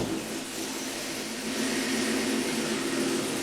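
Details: Pickup truck with an intermittent one-in-100 no-start, after starter solenoid work, test start: steady, even engine run with no misses, stumbles or cranking struggle. Normal idle.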